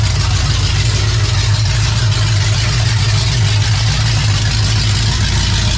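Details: 28 Special crate 602 dirt late model race car engine idling after electrical issues sorted; steady even low idle, smooth rumble, no knocks or stumbles, sounds better; rear leak still present, possibly at a gasket. Normal idle.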